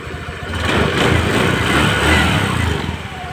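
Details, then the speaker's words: Spacy scooter after repair of loose cooling fan on worn bosses: catches and settles to even soft idle putter, no metallic rattle; fixed. "ya ini tidak ada suara kakakak tadi ya permasalahan kan cuman sepili y nah permasan cuman sepili ada Bos kipas yang sudah aus"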